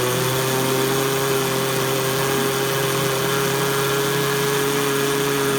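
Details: Yamaha GT80 two-stroke bike fires right up and idles with a steady, buzzy, even note, no misses or knocks, on a retry after the brakes were fixed; normal idle.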